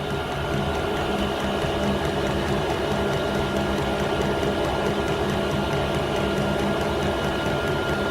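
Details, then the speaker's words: Diesel heater on a home test bed, running a couple of minutes and blowing hot air: a steady, even fan whir with light, regular fuel pump ticking and no surging or misfire. Working normally. "But yes, it worked. Yes, I'm amazed. It's been running now a couple of minutes, and the hot air coming in."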